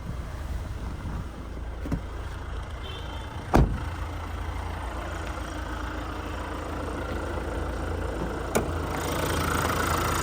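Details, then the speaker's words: A 2022 Hyundai Tucson Elite N Line AWD diesel, serviced at 15,000 and 30,000 km, idles low and even with steady clatter, heard under the bonnet. There are no knocks, rattles or squeals apart from a couple of door or bonnet clunks: a healthy idle. "no knocks rattles or squirels that diesel motor ticking over nicely"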